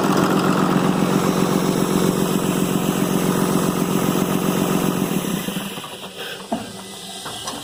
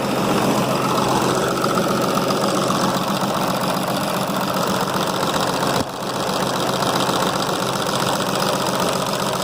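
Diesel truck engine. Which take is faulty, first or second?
second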